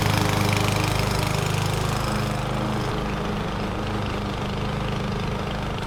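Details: 21-inch Husky push mower (11A-B2M7031), Powermore OHV engine, fresh oil, started first pull: even single-cylinder chug while mulching, pitch dipping slightly under grass load, no stumbling; no issues.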